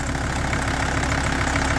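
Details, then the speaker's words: 1983 Mercedes 300D OM617 turbo diesel at idle: a loose, light clatter rides over the usual knock and sounds external, not internal; owner suspects the AC and a visibly loose belt. "now there is something that's a little bit loose and clattery in here I almost think it's the AC"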